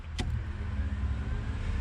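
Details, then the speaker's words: 6.0 naturally aspirated build, in car at key-on: steady hum as the fuel pump and transmission cooler fan kick on with a brief whir, relay-powered wiring working normally. "can hear the fuel pump kicks on it cooler from a trance kicks on and then if I flip up the switch down here for these fans"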